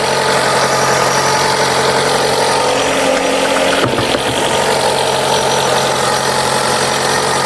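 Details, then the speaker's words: Chrysler 200, after coolant leak repair and refill, idling during leak check: steady, unbroken idle drone with no misses, knocks or squeals; idling normally, no leak found. "All right, as you can hear, the engine is running."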